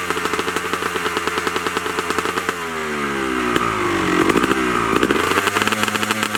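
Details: 2003 Honda CR250R two-stroke, rebuilt top and bottom end, Pro-X crank and rod, plated cylinder, Lectron carb, Boyesen reed valve, Pro Circuit exhaust with shorty silencer, cold start: crisp, even firing that revs cleanly and drops back, healthy.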